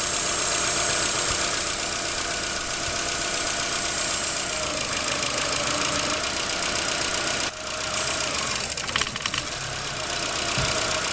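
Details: 2007 Chevy Aveo petrol engine after start-up, high idle followed by rough idle: uneven hum wavering and stumbling beneath hissy noise; codes P2106, P2110, P2135, P0172, P2188, P0106 and P161B.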